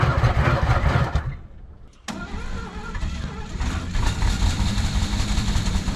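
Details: 1970s Chevrolet C-10 Custom sat 30 years, on temporary fuel tank and jump starter: cranks about three turns a second, stalls briefly, catches weakly without running clean; fuel starvation, crushed fuel line, clogged carburettor.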